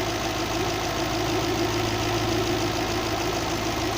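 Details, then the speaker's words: Toyota 3UZ-FE V8, fully warmed up with fan running, after repair of valves burned running on gas (three valves replaced, both heads rebuilt): even, steady idle with no ticking, misses or knocks; normal healthy V8 idle. "Вот так должна V8 работать. Никак по-другому."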